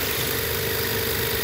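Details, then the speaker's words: Used inverter-drive heat pump compressor, condemned for excessive vibration, run on a VFD at 40 Hz: rough buzzing vibration over a low hum as it seems to tighten and trip overload on the VFD; cause suspected, not confirmed. "but this thing it like the compressor like gets tight or something and then it pulls overload on the vfd listen to that that vibration"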